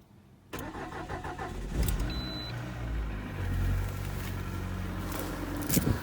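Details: 2019 Lada Granta FL, 3,500 km, morning cold start at −14°C: the engine catches into a fast cold idle with a rapid clattering tick for the first second or so. There was a fuel smell after start; cause of the knock unknown.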